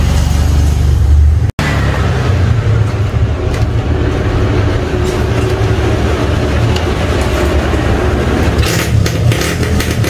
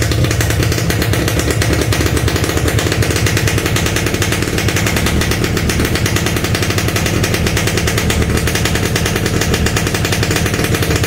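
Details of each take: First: Standard Yamaha RX King two-stroke that is hard to start when cold, now slightly warmed up: steady crackly burble picking up cleanly without stumbling; engine running properly once warm, not a serious problem. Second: Yamaha RX-King, standard, hard to start when the engine is cold, at any time of day, and needs the choke pulled; rapid, loud, uneven crackling two-stroke beat just after a cold start, before the engine reaches temperature.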